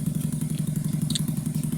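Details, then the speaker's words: 2009 Skyteam Bad Boy 50cc four-stroke single after an oil change, vacuum leak fixed and idle raised. Even putter of about eleven beats a second, no misses or clatter; smooth, healthy idle. "You can already hear or you can already tell it's like day and night difference with the oil swap with the vacuum leak now gone with the idle up a little bit like it idles so smooth."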